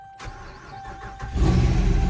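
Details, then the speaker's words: Older Ford Expedition King Ranch that sat a long time, after PCM work and key-on 10-second wait: brief crank catches and settles into a steady, even idle with a strong low rumble; normal start and idle. "There we go, truck runs. It's awesome. All right, well, truck is running, and that's a plus."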